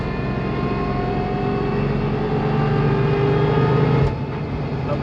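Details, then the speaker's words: 1999 Porsche 911 Carrera (C2) with semi-solid engine and transmission mounts and numeric shifter, accelerating on the road: engine pulls with a rising growl and a fuller, less muffled gearbox whine, no harsh vibration; normal for stiffer mounts. "I think you can probably hear it but again it's nothing like any weird vibrations or anything like harsh that's that wasn't already coming through it's just not as muffled I guess especially the gearbox"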